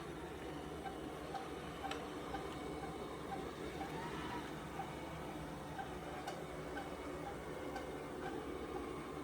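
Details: Roborock Rocky robot vacuum running: steady hum with short, faint squeaky chirps about twice a second; cause undiagnosed.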